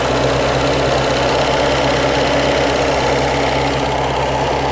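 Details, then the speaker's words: 1998 Reliant Robin Mk2 barn-find petrol engine at steady, fairly even idle with soft rapid patter, no misfire or hunting, after carburettor rebuild and throttle return fix; no leaks, run without coolant. "Now I've just realised what the close peg was for. No leaks."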